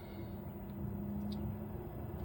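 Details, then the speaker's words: 2 kW MZ Au Focus diesel heater fitted under the bed of a 20.5 ft Montana off-road caravan, in its warm-up cycle set near 22°C with no flame yet. A quiet low hum rises in pitch as the pump winds up: normal start-up. "now if you listen you can probably hear the pump starts to wind up a bit"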